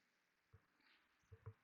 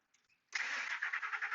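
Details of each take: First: 2003 Ford F150 Harley-Davidson 5.4, PCM at about 110 degrees after heat-gun warming: faint thumps then steady starter whir, engine won't catch; long crank no-start, technician now fairly sure the PCM (engine computer) is the intermittent fault. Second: 2003 Ford F150 Harley-Davidson 5.4, intermittent long-crank case; PCM heated with heat gun, around 120 degrees: brief crank, engine catches within about half a second and settles to a steady even run, a normal quick start.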